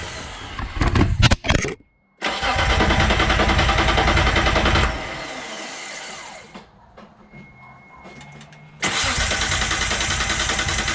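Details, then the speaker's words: Dodge Stealth after fuel pump and tank reinstall with about 4.5 gallons of fuel: long spells of fast, even starter cranking that never start; fuel pump not heard, owner suspects a bad fuel pump relay. "no fire no start that was a no start"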